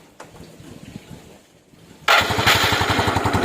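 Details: Engine used to test the CDI from a Yamaha Jupiter Z that had lost ignition. Quiet, then the engine catches and holds an even, steady beat with no misses or knocks; the CDI is fine (fault later traced to the pulser).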